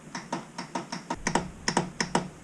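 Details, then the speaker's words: Honda Fourtrax 300 TRX300FW that won't start: about a dozen sharp uneven clicks, four or five a second, no cranking; starter motor faulty. "it made that god awful noise so i think we got a starter issue"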